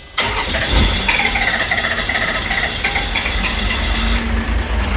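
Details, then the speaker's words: Engine at about 20 degrees, cold start: long struggling cranking, then rough uneven run on five cylinders; torn mechanical diaphragm fuel pump draws air bubbles into injection, starving fuel, before pump replacement. "as you can hear it's very hard to start up and you might not be able to tell unless you know what you're listening for it's only running on five cylinders"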